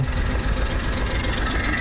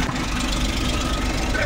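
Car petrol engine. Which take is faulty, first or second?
first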